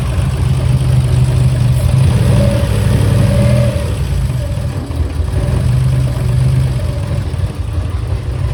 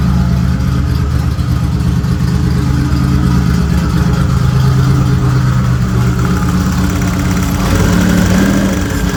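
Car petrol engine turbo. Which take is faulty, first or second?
first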